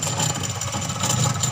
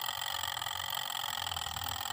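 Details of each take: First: Sharp twin-tub washing machine, wash side not working: spin (dryer) side runs but thin steady high squeal "krik krik" over the motor hum, noisy spin motor heard with rear cover open. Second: Sharp twin-tub washing machine, wash section previously not working, earlier worked on by a non-specialist: steady light motor hum with faint whir and one brief click; wash motor runs smoothly, normal.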